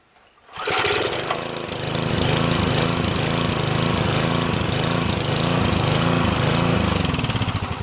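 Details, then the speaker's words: Northern Hydraulics pressure washer, Briggs 3.5HP, sat 8 years, started on starter fluid sprayed into the air cleaner and run dry without water; starts readily and settles into an even, steady putter with no misses. Normal running. "that's incredible it started just fine Mike I don't know what you're talking about buddy it runs just fine"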